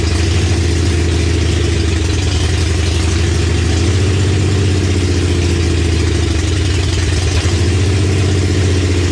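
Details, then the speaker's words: 1965 Comet with 5.0L V8 and T5 five-speed, first start on open headers after a small fuel leak and checking timing; loud uneven lumpy idle, vacuum leak from a missing plug on back of the intake. "turns out there was actually a plug missing on the back of the intake so that's why i"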